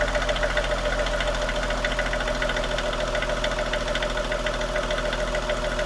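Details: 2016 Lexus GS350 at 54,000 miles, idling after being shifted from reverse back to park: quick even tick about three times a second over engine hum; vacuum pump suspected, not confirmed.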